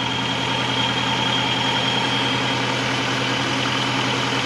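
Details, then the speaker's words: Honda Civic with G23 VTEC swap, warm-up after recalibrating an out-of-spec TPS: low, even idle holding about 500 rpm without dipping, no longer stalling at stops; throttle position sensor blamed for the earlier stalling. "Not dying anymore. It's holding on to about 500."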